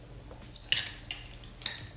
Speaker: This iron is a little annoying because you can hear that it squeaks. I don't know why it squeaks, but it is freaking annoying.